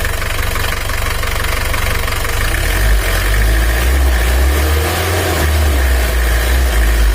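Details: Mitsubishi L300 diesel after timing belt work for weak power and high fuel use, cold before reaching temperature: steady diesel clatter at idle, early rattle until oil comes up, note settling lower; healthy warm-up idle.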